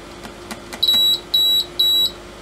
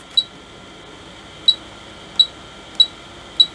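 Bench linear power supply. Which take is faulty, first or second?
first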